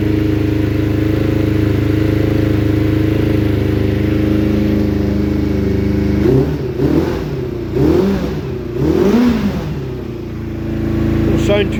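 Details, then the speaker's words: Suzuki Bandit 600 under crash repair, running after oil and filter change on a jumper box, choke on and slightly warmed; uneven lumpy idle with stumbling throttle blips, spluttery, owner doesn't think it's blowing out the headers, cause unknown. "Well, it's idling. I don't think it's blowing out the headers. I don't think it is. It's just a wee bit spluttery."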